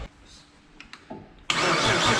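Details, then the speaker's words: Nissan Skyline with rebuilt engine just installed after engine failure: a few clicks, then a loud steady starter churn with no firing rhythm; cranks but will not start. "No matter what, I'm going to start it and turn it off. Just so you're aware. Alright, okay. Apparently I'm not going to start."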